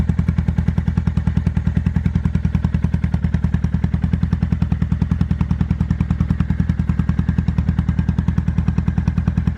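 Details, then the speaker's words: 2005 Kawasaki Vulcan 800 V-twin quick startup before sale: fires and settles into a loping, even thump around 200 pulses a minute, a steady healthy idle with no knocks. "before we sell it I wanted to bring it out here and give it a quick startup and let you guys hear it"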